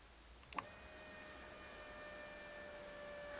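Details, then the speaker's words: Range Rover L322 (2002-2012) fuel pump powered directly by a jumper lead at the relay socket: a click, then a faint, constant, steady whirring hum; the pump runs normally. "so you can hear a noise um when it's when it's going so now we know that the pump's going"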